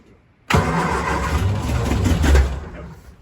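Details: 1966 Triumph Spitfire Mk II with suspected timing, carburettor, throttle linkage and weak battery problems, choke without gas: short crank catches, runs unevenly a couple of seconds then dies; hard starting, rough running, cause unconfirmed.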